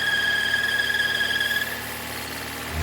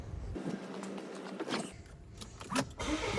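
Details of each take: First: 2017 Volvo V40 2.0 petrol at idle with intermittent self-raising revs: loud steady high squeal that cuts out as the oil cap is released, engine note dropping; faulty blocked PCV valve pulling strong crankcase vacuum. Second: 2017 Volvo V40 2.0 petrol after PCV valve replacement: brief crank, catches and settles straight into steady, even idle, no squeal, hunting or stumble, only light oil-cap suction; normal start and idle.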